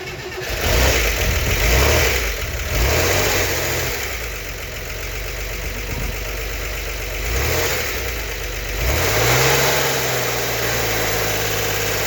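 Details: Freshly rebuilt turbo 1964 Corvair Monza Spyder engine, first startup before cam break-in: it fires, revs up and down a few times, then settles to a steady idle with light lifter clatter while the lifters pump up; the oil pressure light stays off. Normal start and idle.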